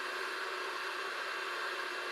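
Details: Unic mini Wi-Fi pico projector running during Miracast playback: constant loud airy hiss with no rhythm or pitch change; cooling fan blows very loudly at steady speed, its main flaw.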